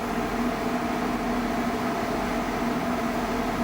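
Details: 12/24 V off-grid split air conditioner on a 1987 Mercedes Unimog 1300L camper, just charged with refrigerant: steady mid-pitched compressor hum with outdoor fan rush, vibrating into the cabin; running normally and cooling.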